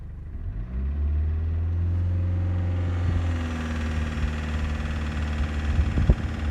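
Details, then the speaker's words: 2000 Toyota Cresta 2L-TE diesel that lost pulling power, with knocking from the injection pump side reportedly after water in the diesel; steady idle clatter, sluggish rise, won't pick up revs. "они [музыка] двое ни хрена не выбирают обороты"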